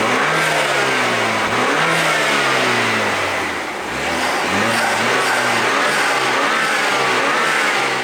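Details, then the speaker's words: 2013 BMW F30 328i, N20/N26 engine, bought cheap and just through maintenance (engine mounts tightened): strong pull with pitch climbing cleanly, brief dip at the shift, rising again, free of knocks; normal acceleration, sounds healthy. "Sound healthy as hell. Man, you feel it back there? Sound good."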